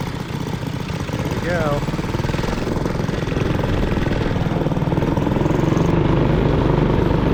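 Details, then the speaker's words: 1959 McDonough T-10 Tin Lizzie go-kart single-cylinder engine while driven: uneven, loping, stumbling putter, nearly stalling on sharp turns; jetting suspected off, possibly too much fuel; uneven running. "It definitely sounds like the jetting is a little bit off. Yeah, let's take a look at that. I should have brought some tools. Sounds like it's getting too much fuel. It sounded like it was having trouble."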